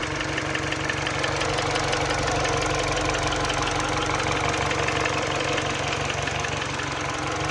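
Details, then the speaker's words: Mini Cooper R56 base, original N12 with 160k miles, warm idle with steady light knocking about three per second, louder on cold start, harder to hear at higher rpm; owner attributes it to piston slap. "it's a pretty annoying noise to be honest with you at idle especially when you hear when you increase the RPMs it's definitely harder to hear"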